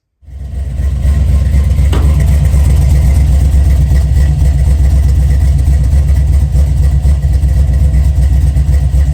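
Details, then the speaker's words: 1979 Chevy C10 with a 5.3 LS swap and Sloppy stage 2 cam, first start after an almost two-year build and a new gas tank: engine catches and settles into a deep, steady rumble with an even beat, no misses or knocks; healthy idle. "We finally got the ugly street truck to fire up. [Music] running pretty good."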